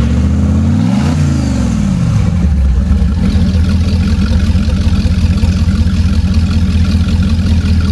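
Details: Marine Power 5.7L MR2 EFI V8 engine package running on an engine stand, with MR2 computer, high and low pressure fuel pumps and exhaust manifolds: cranks, catches and revs cleanly, then settles into a deep, even burble with no knocks or misses; healthy engine.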